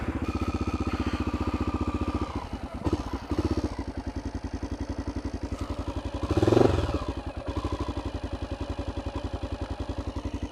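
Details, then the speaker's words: 2012 Honda XR650L single-cylinder with FMF Q4 exhaust, smog kit removed and performance air filter, on a camping trip: steady idle with a light metallic clatter on each beat; engine rattle, source unknown. "there's like a rattle in there don't know if you can hear that I hope this thing gets me home"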